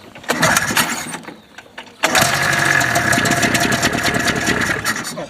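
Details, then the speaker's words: Ski-Doo Formula Plus 583 two-stroke snowmobile, sitting over 5 years, run on gas poured into the carbs with the airbox off. After some cranking it fires up at two seconds into a loud, steady, raspy run, reaching 50 °C. Normal start and run. "fired right up smells good"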